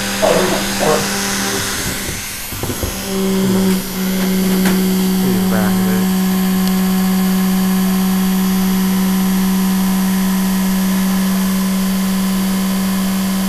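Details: Vintage sewing machine series-wound motor after WD-40 lubrication: some handling at first, then a smooth, steady hum of clean, even pitch with no rattle or scrape; runs healthy.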